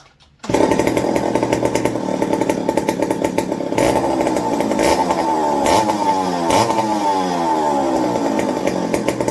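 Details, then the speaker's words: McCulloch 55 gear-drive chainsaw after a homemade fuel wick and an 090 carb swap: the two-stroke snarl rises and falls with the throttle, then settles to an even idle. The on/off switch is shorting in the handle. Normal running and idle. "yeah that switch is giving me fits now but it idles it's running with the 0.90"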